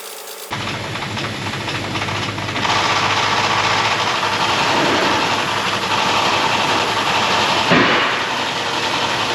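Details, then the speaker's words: 1972 Chevrolet Blazer with carburetor, just running again after fuel was pumped up; loud steady hiss over the running engine, rising a little as it settles; owner suspects a massive vacuum leak. "now when it's running you can hear a massive vacuum leak it sounds terrible"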